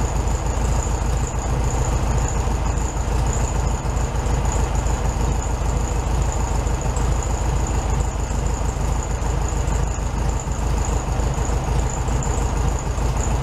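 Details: 1967 VW Beetle 1500cc air-cooled, warm idle after carburetor reinstalled on new base gasket (second repair); steady, even thrum, regular beat, no misses or rattles; healthy idle set slightly high, owner to test drive before deciding on adjusting.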